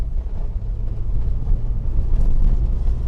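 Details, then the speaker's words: Car driven on unpaved dirt at about 40 km/h testing chassis after inspection and servicing: only low steady road rumble, no rattles or knocks; no suspension or chassis noise. "我选择从这边上去了，一点异响都没有。"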